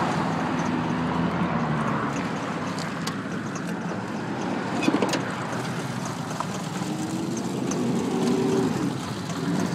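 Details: 2005 Ford F-150 V8 with an intermittent rough idle and no-start, happening once a week or more but running fine otherwise; the low rumble wavers and surges instead of holding a steady beat.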